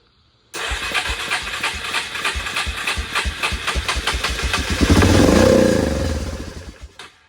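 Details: Yamaha Big Bear 350 ATV, single cylinder, fed gas poured into the intake: catches, pops about three times a second, revs briefly then dies. Spark is fine; the carburetor the seller claimed was new was only cleaned and is bad.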